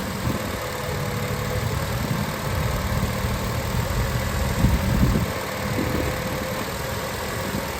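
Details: 2006 Acura TSX on a cold day, after replacing the two power steering inlet/outlet hose O-rings: smooth idle with no pump whine or groan while the wheel is turned. Only a couple of tiny bubbles remain in the fluid. Normal.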